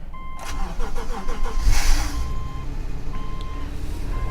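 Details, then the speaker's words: 2013 Subaru at an auction yard, cold start at 38° outside: door chimes, a brief quick crank that catches cleanly, then a smooth, even idle; it runs great. Normal start and idle. "Yeah, it runs just great."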